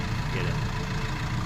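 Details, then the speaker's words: Maruti Swift Dzire diesel after engine repair for pickup, engine noise and mileage complaints, including EGR valve servicing: steady, low, even idle with fixed RPM, no engine light, no knocks or rattles; runs smooth and quiet. "गाड़ी में अगर बाहर खड़े तो कोई sound ही नहीं आ रहा इतना प्यारा साउंड बनाया है"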